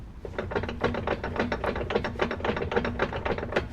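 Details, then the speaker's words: 2000 Dodge Ram 3500 5.9L 24V Cummins, shaft turned by hand: uneven clatter of ratcheting clicks, three to four a second, not slop but a lot of gear noise inside the transfer case; cause unconfirmed. "not necessarily slop, but just a whole lot of gearage inside the transfer case, which I don't love."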